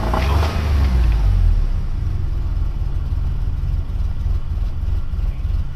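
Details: 1997 Toyota 4Runner after reassembly: very low, uneven idle that spits, putters and stumbles with a deep irregular rumble; a camshaft set a tooth off on its timing marks.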